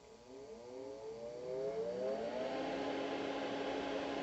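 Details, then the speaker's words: Rainbow Air Activator 1000 commercial ozone generator after repair with variable-level control removed: fan spins up to a steady whirring hum with loud ozone sizzle on top; running normally after fix. "mostly here the fan but lord have mercy"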